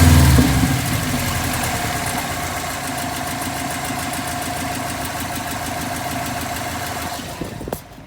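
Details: 2012 Subaru WRX settling from a rev to idle with a fast light ticking, about three per second, over the hum; owner unsure whether it is a spun rod bearing or just valve chatter.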